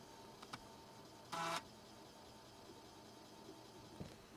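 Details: Replica Commodore 1581 floppy drive, newly built, formatting a disk after earlier 'drive not ready' errors: quiet, faint head-stepping ticks with one brief buzzing seek burst; format completes normally, 3160 blocks free.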